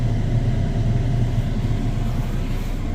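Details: Furnace after fitting a new blower motor, rewiring and re-gluing cracked parts: steady low hum with an even airy whoosh, no rattles, scrapes or speed changes; blower running normally.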